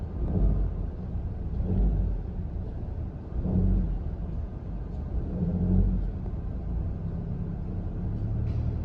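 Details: Honda Civic RS Turbo, about 100,000 on the odometer (unverified), in D with AC on and throttle applied above a certain rpm. A low rumble swells with load, a droning groan with belt flutter. Suspected failing auto-tensioner letting the belt flap.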